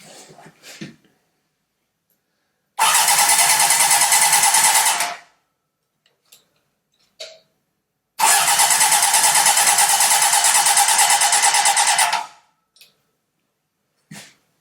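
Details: Honda CB750 engine with carbs on a stand, likely not run in over 10 years: two bursts of fast, even starter whirring, each about three seconds, with no firing; cranks but won't start, points signal wires then found reversed.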